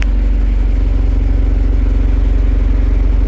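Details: Ford Everest diesel started to check alternator charging after it failed: battery 12.4 V before, 14.3 V running. Steady, even low idle throb near three pulses a second, no misses or rattles. Healthy running.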